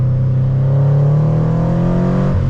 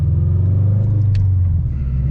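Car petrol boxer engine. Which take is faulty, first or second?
second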